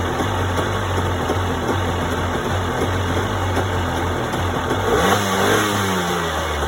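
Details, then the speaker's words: 1992 Yamaha WaveRunner 650 two-stroke, unrun for years, on old premixed gas with oil added to each cylinder, just started: revving unevenly and stumbling, running rough, likely from the old gas. "so it does start stored pretty well actually that was easy sounds like a little bit weird for now but that's normal it's old gas and it hasn't run for years"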